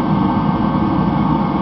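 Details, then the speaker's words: Rebuilt Mr. Heater Contractor Series torpedo heater, cone red-hot, about 800 degrees at three or four feet: steady, even roar with no sputter or surging; burner firing properly at full heat. "so the cone is going nice and red-hot the heater appears to be working properly"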